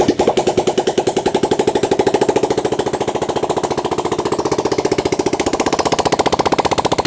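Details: 400cc motorcycle that had lost compression, started after valve seal replacement, valve grinding and head/camshaft refit: steady even firing pulses at idle, no misses or tapping; running healthy.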